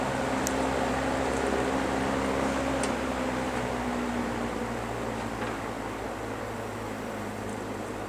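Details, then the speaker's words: GE box fan after repair of a worn single bearing that let the rotor drop and hit the stator; clearance now made. Smooth, even whir with steady motor hum, no scraping, slight normal motor vibration: normal fan running. "that sounds great still got a little bit of vibration just from the motor running but that's normal"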